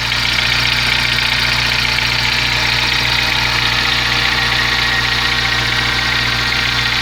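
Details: VW Gol G4 engine idling steadily with a constant rapid hiss and rattle on top, about two pulses per second underneath; abnormal idle noise of unclear origin, owner asking what it means.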